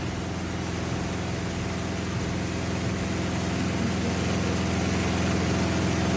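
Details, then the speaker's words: Samsung washing machine on spin with clothes loaded under a cover; heavy, steady roar with a throb three or four times a second, growing louder over about 10 minutes of spin, like a generator; cause unclear. "भाई ये washing machine नहीं, generator है। Generator."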